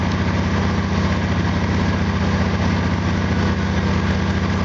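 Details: Small engine (FG8) idling on an exhaust analyzer after spark plug gap increased 20%: even, steady low idle with regular beat, no misses; running smoothly with lower CO, hydrocarbons and CO2.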